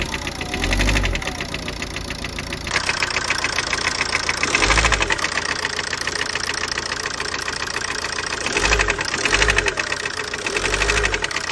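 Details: 2009 Ford Focus Mk2 1.8 TDCi, 225,000 km: uneven metallic top-end knocking that surges with small revs. Started at 130 km/h; vibration light throttle and first 5 min cold. Belt, injectors, timing, lifters, camshafts checked OK; cause unknown.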